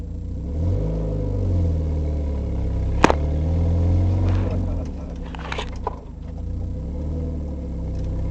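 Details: Mazda MX-5 petrol engine revving with a raspy, puffing exhaust note, an exhaust leak at the catalytic converter joint, which has no gasket.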